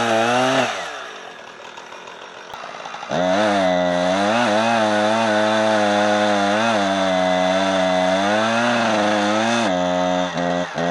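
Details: Husqvarna 455 Rancher chainsaw on owner-mixed 50:1 fuel: revs crisply, then pitch sags and wavers once cutting and never holds speed. Owner calls it gutless; cause unconfirmed.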